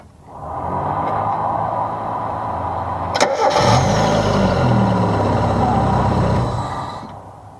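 Running car engine with a faint, thin squeak over the idle, typical of a slipping alternator belt.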